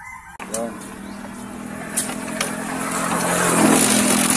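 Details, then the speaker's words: Motorcycle engine with stuck rocker arm and damaged camshaft, rocker recently replaced: starts and runs with light fast tick about four per second from valvetrain, loose cam gear rattle suspected; oil supply and timing chain checked next. "Ayan. Ayan oh. Kakaiba ang ingay niya mga kaibigan."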